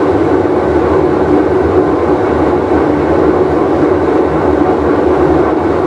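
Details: Whirlpool Cabrio washer, full wash cycle, during spin: loud, steady deep roar with constant rumbling drone; suspected worn tub bearing, not confirmed.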